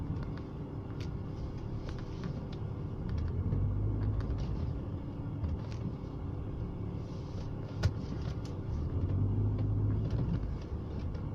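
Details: BMW E36 with M43B18 four-cylinder petrol engine idles roughly, its low rumble surging and sagging; problem is intermittent, sometimes fine for a month, sometimes changing with every gear shift, cause unknown.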